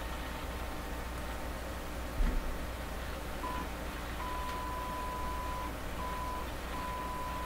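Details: Canadian Crosley 12B radio, signal tracer probing the 6SA7 converter grid with signal generator input: only a faint, broken test tone over steady hum and hiss; weak signal at the converter grid.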